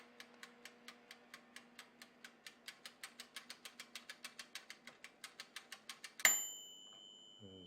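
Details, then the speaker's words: Black & Decker toaster oven after replacing broken timer switch with DeLonghi timer, tested before closing up: steady mechanical ticking about four per second as blue light comes on, then click and bell at end; timer working normally. "So let's see, if the blue light comes on, that means it works, and you can hear it when the blue light came on."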